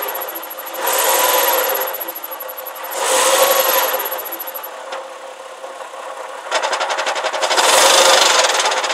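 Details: Porsche Boxster 986 at idle, clutch replaced under 1000 miles ago: gearbox rumble when clutch pedal released quickly, squeak when released slowly and while driving, gone with pedal pressed; cause unknown.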